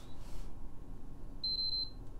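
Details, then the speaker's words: PS5 Blu-ray Edition on plug-in gives three quick, high-pitched beeps, then never powers on; owner suspects a corrupted BIOS. "leave the cord in there three veps and then she doesn't do anything"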